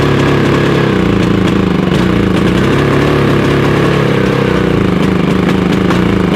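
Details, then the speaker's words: Harbor Freight Predator 5000 generator on gasoline, backfires on propane: drone wavers and stumbles throughout; runs the same on both fuels, owner suspects a fuel-flow cause common to both, ignition verified. Rough running. "when I ran on propane a while ago, it seems to backfire. So, it's not running as well on the on the propane."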